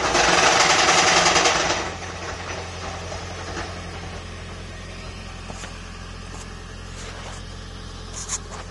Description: Toyota Prius Violent Engine Knocking Rattling Noise.